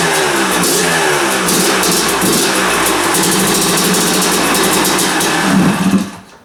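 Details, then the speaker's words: Kawasaki KDX250 two-stroke, first start attempt of the rebuild, kill switch held in due to different wiring: fires crisply and revs steadily for several seconds with a crackly, even beat before cut; running properly. "it started. The kill switch is different on this. I had to hold the kill switch in because it's wired different. But it did start."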